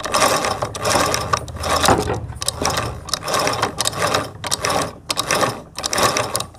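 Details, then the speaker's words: Sewing machine with the microphone near the shuttle, which is pressed down by finger: heavy, ragged ratcheting clatter in uneven bursts about 80 a minute as the machine becomes heavy; binding shuttle. "यह यह जो आवाज यह दबे हुए आती है जवाब दबता है तो इससे निकलती है थोड़ा सा मशीन भारी मशीनें आ जाता है"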